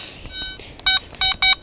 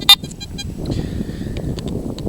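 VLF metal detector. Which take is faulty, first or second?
second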